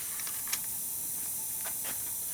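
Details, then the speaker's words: Used VW TDI PD engine on leak-down test: steady airy hiss of air escaping under pressure out through the exhaust side, not crankcase or intake; exhaust valve leakage. "So now we need to determine where that leakage is going."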